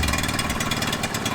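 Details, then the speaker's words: 1978 Honda Z50A with awful compression that knocks and smokes, running before a rebuild: the small single buzzes hard with uneven, ragged firing pulses and no steady beat; rough running, thought to be from an old, worn-out engine. "you can't hear that knock, but it really doesn't sound good. I think it's a mixture of the engine just being old, knackered, no compression."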